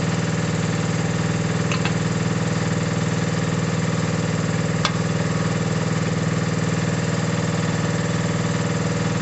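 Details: Mini digger diesel, previously not starting (lazy starter motor suspected), gives a steady chug at an even tick-over with a smooth low thrum and no knocks or misses; normal idle.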